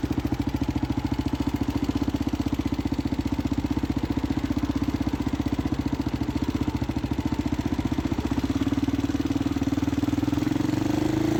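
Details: Husqvarna SM610 single-cylinder supermoto, used bike bought with a known engine noise: hard, fast, even tapping locked to engine speed, about four beats a second; engine knock.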